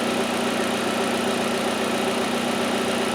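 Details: Hyundai Elantra with idle air control valve codes and large EVAP leak code, idle commanded via scan tool bi-directional test holding about 900 rpm: steady, even engine hum with no hunting or surging; smooth stable idle.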